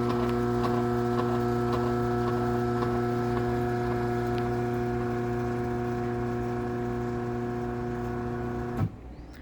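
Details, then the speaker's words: LiftMaster 8587WL garage door opener, a dumpster find with travel module issues, drones loudly and vibrates with steady ticking about four times a second from worn motor bearings, then clunks to a stop. "this thing really does not sound that good and I'm not sure if you can hear the bearing noises but there are bearing noises run it back down"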